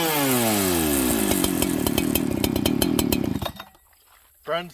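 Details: Farmertec 288XP kit chainsaw, first start, no choke, top cover hitting and holding the decompression valve open: screams high, sags and wavers in pitch when transitioning between jets, then cuts out abruptly; fuel starvation from kinked fuel line.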